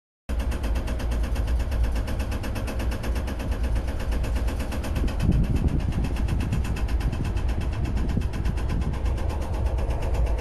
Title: The 2nd AC compartment of Indian Railways. Continuous rattle and noise. Back pain for free. (2)